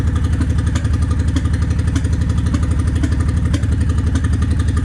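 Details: Honda 750 ACE Deluxe V-twin started cold on choke, fresh fuel, tank on reserve; acts up worst once cooled: loping unevenly around four pulses a second with occasional stumbles; rough cold running, cause unknown.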